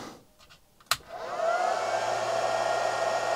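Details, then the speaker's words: Chinese handheld stick (arc) welder switched back on after its thermal trip reset: a click, then the fan spins up to a steady whirr with an even hum beneath. Output voltage restored and running normally; the trip gives no outward indication. "yeah it's back to life so annoying the thermal trip doesn't give you any indication that it's that that's gone you just get no voltage but no other outward indication"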